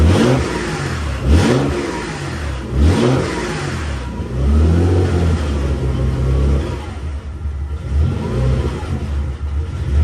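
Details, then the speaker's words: Nissan 300ZX Z32 converted NA to twin turbo, first start on an untuned twin-turbo ECU with 91 octane: engine blips up and falls back unevenly over a lumpy drone; rough running, owner hopes tuning fixes it. "So once, no, yeah, once I get the ECU tuned, or whatever ECU I end up sending to get tuned, hopefully that'll make it run better. But I'll show you guys real quick what it sounds like right now."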